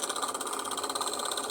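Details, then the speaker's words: Iced-up refrigeration unit full of ice; fast steady rattling buzz with high-pitched pulsing hum, owner unsure whether to switch it off; rhythmic knocking noise. "Ó, gente, tá com um barulho estranho ali, ó."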